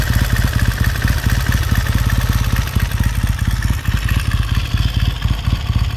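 A lumpy but even twin-cylinder thump at cold idle with no knocks or rattles; the bike idles healthily, just settling in.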